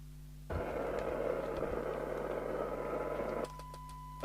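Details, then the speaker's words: Midland 3001 UK CB27/81 mobile CB radio with low receive audio fault: harsh, muffled, crackly received voice over steady hiss at full volume; badly distorted receive audio, detector suspected. "sounds absolutely awful that's actually full volume now"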